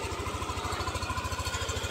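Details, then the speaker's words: Yamaha Aerox scooter just after its 3rd oil change and an oil-indicator reset: a smooth, even, quick-pulsing putter at idle with no ticking or rattle. A healthy, normal idle at about 1,900 rpm, with revs later raised up to 10,000 rpm. "Ganito ka bilis yung idle niya. So, ito, nasa idle siya ng 1,900, 2,000, 4,000, 6,000, 8,000 up to 10,000 RPM,"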